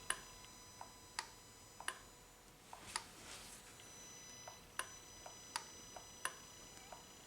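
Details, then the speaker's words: 2018 Honda Accord 1.5L turbo, bypass control solenoid bench-tested during P0299 underboost diagnosis: crisp sharp clicks about once a second switching on and off; solenoid working properly. "and feel it clicking when uh turned on and off."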